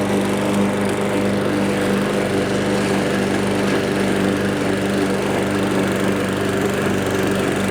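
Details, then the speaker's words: Troy-Bilt TB320 21-inch rear-wheel-drive self-propelled mower, Briggs & Stratton 725 series EX 190cc engine. Discarded and left for dead, now serviced with a spring fitted. Holds a steady, even drone under cutting load with no surging or misses: normal running under load. "well there you have it another more saved for one simple little item this thing got discarded so we service it up put that spring in there"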